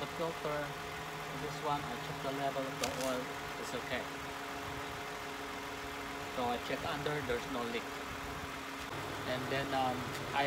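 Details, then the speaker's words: 2016 Toyota Sienna at idle during an oil change with 0W-20 full synthetic oil; very quiet, even idle under light clicking and handling noise, with no ticking or rough running. Sounds healthy. "okay if you could hear the engine is very quiet idle is very good"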